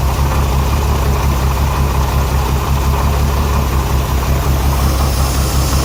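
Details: Renix Jeep Cherokee six-cylinder at idle: deep idle with an uneven, stumbling beat from a dead cylinder; cylinder 6 exhaust valve held tight by an overtightened rocker, misfiring; backing the rocker bolt off cured it.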